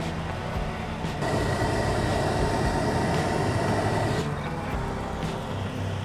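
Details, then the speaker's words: Suzuki Samurai stock heater blower after cleaning leaves and debris out of the clogged heater core, engine running: steady strong rush of air building after about a second, no rattle; normal airflow, much better than before the fix. "oh you can definitely hear that it's blowing way better yeah it blows quite a bit quite a bit better it's you know it's still not awesome but it's a samurai"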